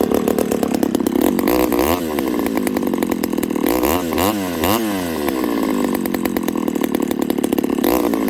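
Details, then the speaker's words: Ported Homelite 922 chainsaw after clutch and fuel line fix and cooler heat-range plug, restarted after cooling 10-15 minutes: crisp steady two-stroke buzz with clean rev-ups and returns to idle; starts, idles, runs like new. "Other than that, this saw runs like it might as well be a brand new saw. It starts, idles. Pretty happy with it."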